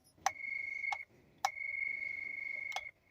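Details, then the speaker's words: Revaa cordless doorbell, powered on, remote pressed: two faint, thin single-pitch chimes under a second each; sound very low, doorbell not working properly before repair. "और इसमें जो problem है वो ये है की इसका रिमोट कंट्रोलर ऑन करने पर इसमें काफी स्लो साउंड ए रहा है"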